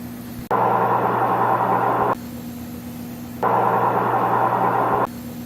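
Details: Maytag front-load washer after bearing repair: even swishing tumble bursts over a steady motor hum, no growl, rumble or grinding; a healthy drum.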